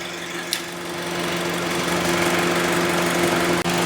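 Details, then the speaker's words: 2011 Honda CR-V idling about 30–40 minutes: steady, even compressor hum with no cutting out or rattle; AC compressor running normally, owner suspected thermal switch cutting it out when hot. "Now this thing's been running for half an hour, 40 minutes, and it hasn't, the AC compressor hasn't stopped."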